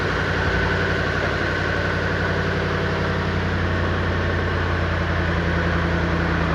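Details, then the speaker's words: 1959 Chevy Impala convertible 348 V8 at idle after cam break-in; steady idle with raspy puffing chuff on each pulse, bad exhaust leak on passenger side, suspected donut gasket on the bottom side. "Got a bad exhaust leak on the passenger side. But that's probably that donut get in there."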